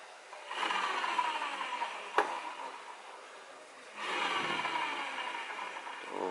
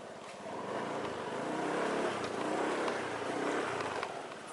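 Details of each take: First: Honda Beat CVT pulley bearing spun by hand gives a dry, gritty rasp rather than a smooth whir; the bearing causes the humming heard when easing off the throttle. Worn pulley bearing. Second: Honda Beat scooter CVT on a test ride after fitting Suzuki Nex clutch shoes and replacing CVT parts to cure a humming noise when easing off the throttle; moderate even running noise with no drone, CVT healthy.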